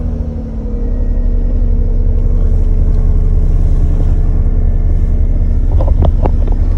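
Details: Corsa B 1.0 petrol 16-valve that started then died, after replacing a faulty fuel pump relay with a new one: steady, even low rumble with a smooth regular beat, no misses or rattles; running normally now.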